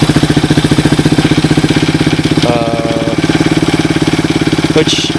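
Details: Suzuki DR200ES single-cylinder motorcycle, first run after acquiring, air filter refitted, temporary fuel line: steady, even thump at idle with regular beat, no knocks or rattles; idles okay, starts easily, normal idle.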